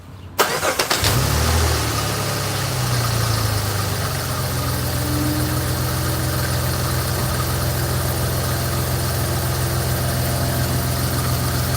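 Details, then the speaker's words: Jeep Grand Cherokee V6 started and idling: loose, uneven loud rattle over the hum from a belt tensioner flopping around with slight wobble; tensioner being replaced. "The tensioner is flopping around here, makes a loud rattling sound."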